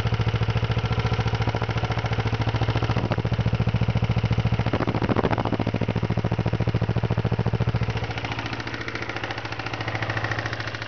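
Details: 1992 Kawasaki Ninja 250 engine at low idle with a steady, hard knocking beat on every crank turn from bad rod bearings.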